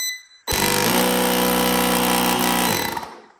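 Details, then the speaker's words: DeWalt DXAEJ14 1600 peak amp jump starter after replacing the air compressor pump (old one smoked); bench test with fast, hard, even rattling buzz starting abruptly, holding steady, then winding down; normal compressor running. "it seems to be working so let's go over to the car and test it"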